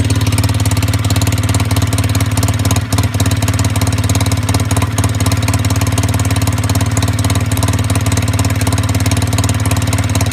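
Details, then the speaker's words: Fuel-injected machine after a brief warm-up, revved: loud, rasping exhaust with a rapid pulsing beat, backfiring as revs come down. Owner suspects lost back pressure at the pipe causing over-fueling and the backfire. Unconfirmed. "okay so after a brief warm up now listen how loud it is down here back firing the back fire when it's coming down again so doesn't like that I guess"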